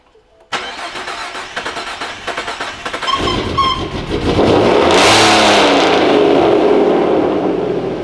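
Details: Boosted car after its rod-knocking engine was replaced with a new one: about 2.5 seconds of cranking, then it catches and revs cleanly with no knocking; normal start.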